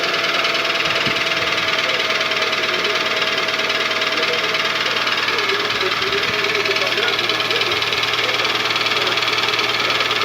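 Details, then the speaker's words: Toyota Vitz 2SZ petrol engine at idle with a hollow, steady knock over hissy running: worn pistons slapping the cylinder liners; knock lessens as it warms but persists hot, Dimexide decoking didn't help; engine rebuild needed. "вот этот стук это стук поршней это износ поршней поршня в цилиндре болтаются и вот этими рабочими своими частями стучат по стенки гильзы"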